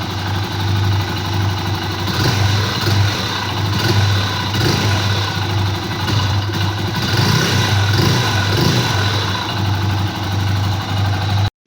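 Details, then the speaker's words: Honda Pop 100 single idling with a quick metallic knock on every stroke: piston skirt slap. The piston is scratched, the kit was recently replaced elsewhere, oil was present so not lack of lubrication, and the connecting rod has slight play. "a moto tá batendo saia e não foi falta de lubrificação tá porque o olho tava subindo"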